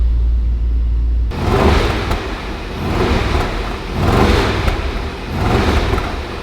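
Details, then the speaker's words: 2021 Range Rover SVR V8, salvage-auction car, after putting a charger on its weak battery: deep rumble swells and falls in four even rev blips, pulling cleanly with no knocks and no engine light; sounds healthy, needs a battery. "sounds good it sounds good so we need a battery"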